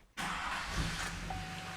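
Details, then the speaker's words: GM engine after being jump-started (boosted) from a dead battery: silent pause, then it catches at once and settles into a smooth, even run; normal engine start. "Hey, ça sonne bien un moteur GM, hein?"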